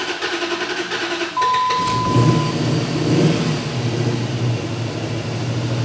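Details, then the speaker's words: 2004 Dodge Ram 5.7 Hemi, towed in running badly and unable to idle: lopsided cranking beat, one weak stroke each cycle before catching and revving roughly; sounds like a dead cylinder, relative compression test planned. "the way it cranks over it sounds like it has a dead cylinder so if it's you know related to the poor running I don't know but let's have a listen you'll hear the cylinder missing all right"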